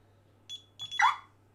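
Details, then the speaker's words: DSC home alarm programmed (sections 014 and 017) to squawk when armed or disarmed with the quick buttons: a couple of short high siren chirps right after arming, like a car alarm, working as set up. "you hear the chirp keep in mind every time you use a quick button even if you come home late now when you enter your code it's always going to chirp"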